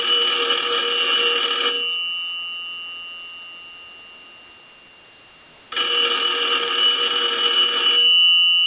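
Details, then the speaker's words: Automatic Electric 3-slot payphone on final check after repair and conversion: loud double-gong bell rings about two seconds, pauses four seconds, rings again; clean even ring cycle, ringer normal. "but we want to go ahead and start our final check so we'll ring the telephone I'm going to let that go a few"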